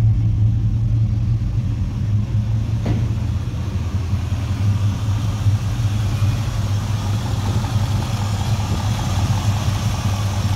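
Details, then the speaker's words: 1967 Chevrolet Caprice lowrider V8 after maintenance including oil change: deep, even rumble holding a steady idle with no knocks or misses; normal idle. "Gotta check with my cousin too. She's sounding real good."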